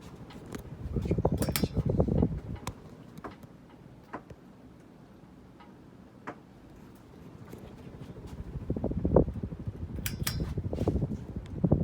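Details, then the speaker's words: 52-inch Hampton Bay Cameron II Plus ceiling fan from May 1999 on high speed with a slight wobble: faint uneven ticking about three times a second over a soft whoosh; a loose set screw from removal with the blades on. "um this thing was taken down with the blades on so no surprise that noise is just a set screw and tightness"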